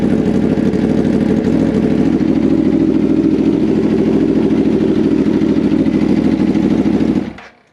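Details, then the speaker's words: 2014 Aprilia RSV4 after reconnecting disconnected intake air pressure sensors and hoses and clearing codes: even, steady idle with no hunting up and down, then switched off; no stored or new faults. "Okay, good. So it's not doing that weird revving up and down thing there."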